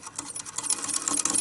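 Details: 1920s French Pathé Baby (Pathescope) hand-cranked home cine projector, mechanism based on the Lumière cinematograph, original cast shutter/flywheel intact: light, even clicking whir following the crank pace, no catches or grinding; mechanism turns freely, normal.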